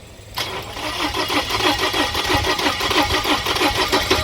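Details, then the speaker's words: Ford Fusion 1.5L with cloned Bosch MEDG17.0 ECM installed, spark and injector pulse present: starter cranks about three turns a second with uneven puffs of firing, stumbling but not catching; no start yet. "Oh, it's trying to start. Getting gas."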